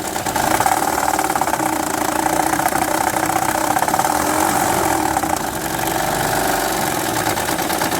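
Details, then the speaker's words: 2006 Honda Odyssey with a rough metallic rattle over the running engine that grows louder and harsher as revs rise. Diagnosed as a timing belt needing immediate replacement; 50% chance the original part cures it, camshafts possibly damaged. "como ven mi gente ahí estaba el ruido cuando acelera viene más ruido de ahí suena más duro"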